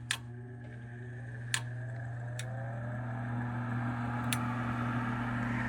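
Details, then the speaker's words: 2009 Trane gas furnace after a lot of water was cleared from the pressure switch: the inducer runs with a steady low hum and a few sharp clicks as the pressure switch closes. "it's working now I don't know if the inducer will pull it in or not but you know got to try got to get people"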